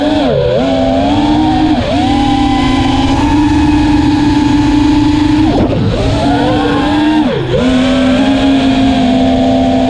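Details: Armattan Rooster quad after vibration fix: clean motor whine climbing and dipping smoothly with throttle, no strong vibrations, buzz or shudder above mid throttle; normal motor run.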